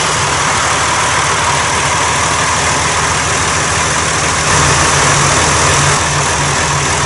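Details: 1990 John Deere 3350 tractor that had dropped a valve and stood a long time, started for the first time after reassembly. Diesel runs with a steady gruff clatter and even rhythm, a slight load rise partway, no knocks. Healthy.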